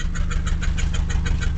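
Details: 1989 Mazda B2200 4-cylinder carbureted 5-speed manual, still a little cold, smoking a lot: deep lumpy idle with a loud puffing chuff on every firing pulse, tractor-like; a hole in the exhaust pipe is leaking.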